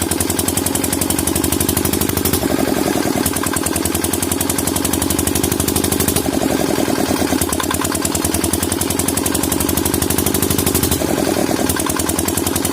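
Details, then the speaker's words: Single-cylinder diesel engine thumping unevenly and hunting, speed surging slow then fast, smoking and unable to take load; misfire attributed to a fuel supply fault. "नमस्कार दोस्तों, जैसा कि आपने अभी हमारे engine की स्थिति देखी, यह धुआं छोड़ रहा था, कोई भार नहीं ले रहा था, और आप इसे मिसफायर भी कह सकते हैं।"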